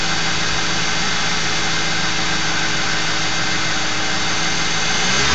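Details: Ford 4.6 V8 at idle: steady fine high buzz over the engine note, possibly a failed Prime Guard oil filter anti-drainback valve; noise persisted after swapping in a second filter, owner also suspected torque converter or transmission front pump.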